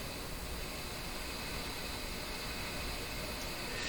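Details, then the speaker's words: Grundig Prima Boy Luxus portable transistor radio on an imperfect bench power supply: constant, even hiss across the whole range with no rhythm from the speaker; power supply hiss. "So you can hear the sound of the power supply. It's not a perfect power supply."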